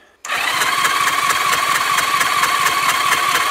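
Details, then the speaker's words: 1981 Honda GL1100 Gold Wing, abandoned with seized engine, compression test with throttle wide open: steady starter whir with even cranking pulses about two per second, no firing; front-left cylinder has no compression, dead cylinder, possibly ring, debris or stuck-open valve. "Tenemos un cilindro muerto. Muy bien, ese cilindro no funcionará porque no tiene compresión en el delantero izquierdo."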